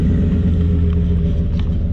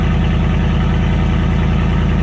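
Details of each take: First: Ford F-150 after the slipped muffler and tailpipe were re-clamped: a deep, even exhaust rumble at idle with no rasp, hiss or rattle, sounding sealed and healthy. The resonator appears to have a hole. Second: Ford F-150 whose muffler and tailpipe slid off, exhaust dumping under the cab, after cold start, idling: loud deep raw popping rumble; exhaust open without muffler.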